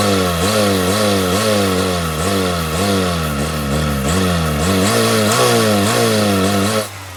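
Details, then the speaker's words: Car that would not start, running only on starting fluid sprayed into the throttle body with the intake removed: surges and sags in uneven waves about twice a second, barely staying lit before dying; no fuel delivery from a failed fuel pump. "as we saw when we tried to start the engine without the starting fluid the engine wouldn't crank over once we start feeding some of this starting fluid right into the throttle body the engine started to respond"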